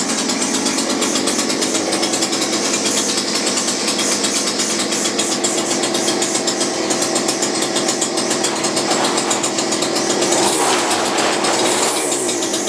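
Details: McCulloch two-stroke grass strimmer rescued from a tip, unused about 5 years, running on reduced choke after repair; loud high buzzing rasp holds steady with small rev surges; runs cleanly.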